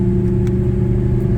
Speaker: So, it's night time now, but there's no more rattling coming from the shifter. Before that would have sounded like a jar of pots and pans.